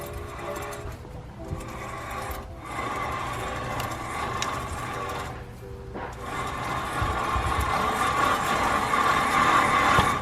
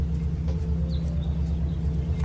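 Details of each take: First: 1999-2006 Chevy Silverado 1500 front hub, rotor and caliper removed, spun by hand: rough gritty whirring rumble from a bad wheel bearing, heard as crunchy grinding when driving. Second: 1999–2006 Chevy Silverado 1500 driving after front wheel hub assembly replacement, steady low road rumble with no growl, hum or crunch; normal new wheel bearing.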